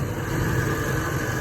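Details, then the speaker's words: G-body Monte Carlo LS after fixing a crank-no-start fuel pump relay problem: a smooth, even idle with a steady low rumble and no misses, knocks or surging, running normally again. "now she's running back like a champ"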